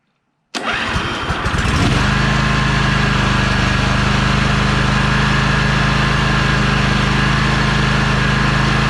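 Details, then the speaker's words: 2004 John Deere L120 with 20 HP Briggs & Stratton V-twin after starter replacement: brief whirring crank, quick catch, steady even idle, no grinding or slipping; starter engages properly. "but let's see if the starter is going to properly engage and give us the ability to fire up this machine here goes nothing all right that sounds healthy let's try it one more time"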